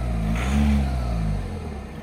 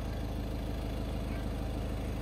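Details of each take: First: VW Vento TDI diesel, about 150,000 km, after injector adaptation done at home with VCDS: revs rise briefly then settle to smooth even idle, old sharp clatter reduced; sounds healthy. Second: VW Vento TDI diesel before injector adaptation, fuel tank over half: steady idle with hard even clatter about two knocks a second; excessive injector clatter, fixed by injector minimum deviation quantity adaptation in base settings.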